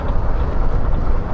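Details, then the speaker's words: Royal Enfield Classic 350 idling in neutral after showroom work: loose, uneven clatter (khat-khat) over the low single-cylinder thump, like a nut rattling inside; owner cannot identify the source. "हाँ, किस तरीके की खट खट की आवाज़ कर रही। अभी मैंने न्यूट्रल कर रखी, ये देखिए खट खट खट खट। ऐसा लग रहा है कोई नट अंदर बज रहा है या पता नहीं क्या है, समझ में नहीं आ रहा मेरा।"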